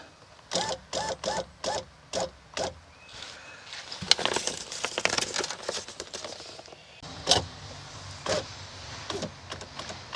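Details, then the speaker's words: 1999-2007 Chevy Silverado GMT800 after replacing wrong rear window regulator installed by previous owner: short motor whirs then smooth even run to the stop, no grinding or clicking; normal power window operation. "Ooh, that sounds nice. Seems to be working just fine too."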